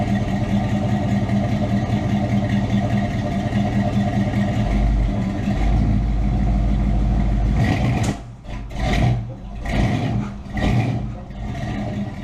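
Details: K10 truck, freshly tuned and dialed in, project with lift kit: steady low engine note at idle and light revs, even and smooth with no knock or tick; healthy normal running.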